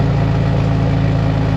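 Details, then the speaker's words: 2006 Jeep Wrangler TJ 4.0L, heard from outside before a cat-back exhaust replacement: steady low idle with a rough, puffing note as exhaust blows out through a hole in the exhaust; exhaust leak. "you can hear the blow by from the exhaust coming out of the hole in it"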